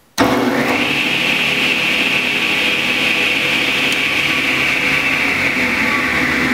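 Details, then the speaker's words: Delta Unisaw repulsion-induction bullet motor after brush ring adjustment and a tightened shorting necklace spring: reaches speed within about half a second without the earlier struggling, then holds a steady, even whine. Healthy startup after repair. "startup time is much quicker it's not struggling there at the beginning with the magnetic fields and that shorting necklace now that we've got the the spring tighter all the way around there's not any confusion for the motor"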